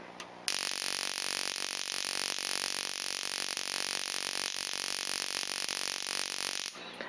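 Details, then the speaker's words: Older Solex ignition coil, reported to run badly though it passes the battery test, on a Solénotest coil tester: continuous buzzing spark train with brief dropouts; interruptions indicate a fatigued coil, probably bad. "Alors, je ne sais pas si vous entendez, mais le train d'étincelle n'est pas constant. De temps en temps, il y a des interruptions, signe qu'il y a une fatigue dans la bobine et qu'a priori, elle ne serait pas bonne."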